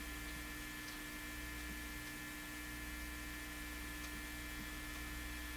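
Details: National HRO Sixty communications receiver with unexplained extremely low output, during signal tracing with volume and gain cranked: only a steady low mains hum with a faint buzz and no signal coming through.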